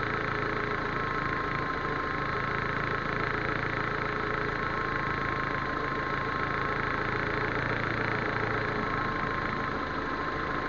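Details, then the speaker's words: Proton Waja MMC automatic with an idle complaint: starts well, then a steady, even idle sits a touch high with a faint constant whine while cold. TPS is reset to the 644.5 mV standard before warm-up and base timing. "Okey start cantik boleh. Tapi dia kata dia up sikitlah."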